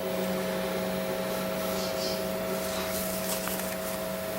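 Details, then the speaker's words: Giant Oce photocopier from a computer recycler, switched on with the rear switch permanently on: only a quiet, steady hum and fan whir, no motors or drives engaging. Only the internal PC runs; the copier itself isn't starting. "definitely drawing more power than it did at first so yeah what I heard running was the PC"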